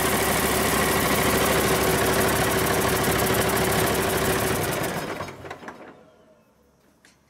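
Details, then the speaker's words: Cummins 8.3L diesel swapped into antique Hyster forklift, first run after installation, about 40 degrees in the shop; even steady clatter, then shuts off and winds down cleanly; normal cold idle. "pretty good considering it's now probably 40 degrees in the shop"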